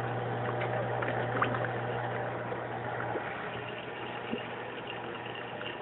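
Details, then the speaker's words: Aquaticlife Internal Mini Skimmer 115 after a quiet mod: the four holes in the collection cup cap are taped over, which removes the earlier gurgling noise. It now runs quietly with only a faint steady hum under a water trickle, and no rattle or buzz. "if you listen you can see that it's really quiet all right I wouldn't say it's a hundred percent quiet because if you listen carefully you can hear a little bit of home but that's required and you really don't notice it after a while"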